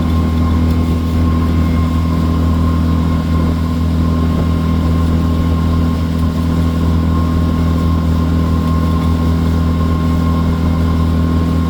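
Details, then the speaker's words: Outboard on a water test run after injector cleaning and replacement, after slowing from high speed: steady, low, unbroken drone with no surging or stalling; runs properly. "Nice. Going from high speed to low speed. Good transition. and it just gets real quiet. Don't stall. That's what we're looking for."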